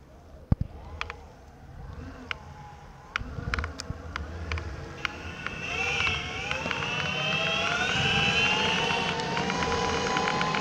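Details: Boosted electric skateboard, 6 days old: motor whine rises and falls, with sharp clicks at the start and faint ticks throughout.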